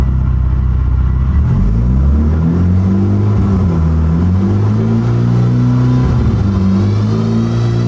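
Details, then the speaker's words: Mitsubishi Evo X MR / Ralliart SST DCT470 dual-clutch transmission: engine revs climb through gears with a steady drone and dull grinding growl while the car goes nowhere; output splines worn completely smooth (stripped). "So it just runs along, and as you can see with the splines, it'll make like a grrr noise."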